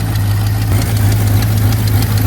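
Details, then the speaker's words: 1985 Chevy C20 square body V8 after sitting over 10 years, first start with choke: steady, even low rumble at idle with no misses, knocks or ticks; sounds healthy, no smoke, but a fuel leak found afterward. "Oh yeah. No smoke. Well, no, that's just exhaust. It sounds like it's camped."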